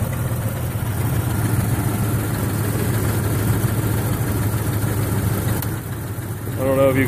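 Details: 1996 Jeep Grand Cherokee Laredo straight six 4WD with a low, lumpy idle that shakes and stumbles unevenly instead of running smooth; extremely rough idle with misfiring on all cylinders, cause not yet found.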